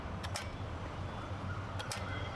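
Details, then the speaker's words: Car with a dead battery, key start attempt before jump-starting: only a couple of faint paired clicks with no cranking at all; battery is flat so the car won't start. "இந்த காரில் இருக்க battery வந்து dead ஆயிடுச்சு, அதனால் car start ஆக மாட்டேது."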